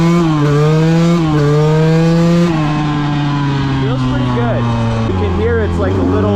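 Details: KTM 200 two-stroke with SmartCarb, richer metering rod fitted after an earlier engine failure, neighborhood test ride: crisp buzz climbing on each throttle roll and sagging off, clean pickup, no bogging; running fine.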